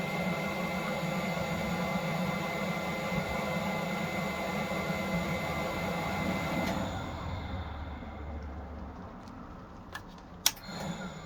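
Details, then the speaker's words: Heatsource/Propex LPG space heater in a motorhome (HS2000/HS2800): the fan and burner rush builds, then drops away with a few clicks as the flame dies. It will not stay lit; a blocked gas jet is suspected. "so I think I can kind of hear it trying to light and then it seems to go off so we might have to open it up and clean out all the Jets which might be blocked or the jet that might be blocked"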